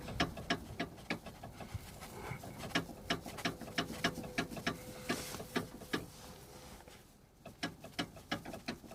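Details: Kia Rio 2 (JB FL) suspension: sharp, uneven knocks about three a second over a quiet background, from worn sway bar bushings and sway bar end links.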